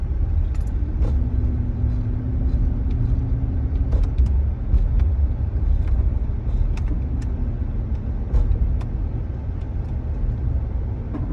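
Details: 2018 Silverado: deep, heavy engine rumble with an uneven flutter and scattered light knocks on top; flutter/knocking noise.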